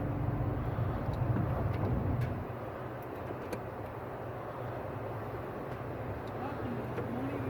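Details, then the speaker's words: 1994 Geo Metro with a fuel problem and messy wiring, push-button start: cranked with starter fluid sprayed in at wide-open throttle, a low uneven rumble catches for about two seconds, then dies; cause unconfirmed. "all right we can tell there the engine fired over and try to run for a little bit now it's not creaking at all"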